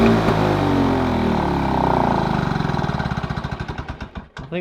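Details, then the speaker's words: Lawn Boy two-stroke mower, previously very rich with low revs; mixture screw opened half a turn, throttle/governor closed a couple clicks: firing starts brisk then slows and sags toward stalling, revs too low from governor setting. "open up that throttle but another three what did I do five four or five clicks would it I'll close I'll open it up another three clicks and see if we can get to r a bit higher it's noticeably lower now"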